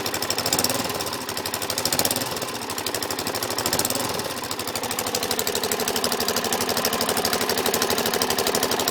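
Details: Suzuki DRZ400SM single: loud fast metallic clicking over idle, started after over-revving in 1st gear, seems from carb/crankcase area, goes very quiet in 5th gear; engine clicking noise, cause unknown.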